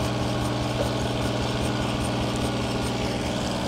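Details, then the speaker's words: Ford 8N tractor with Funk flathead inline-six conversion, first run attempt: irregular, lumpy chugging about four pulses a second with stumbling and smoke; owner thinks ignition timing is off, later turned timing back; rough running. "oh there we go getting something it's angry I think our timing's off"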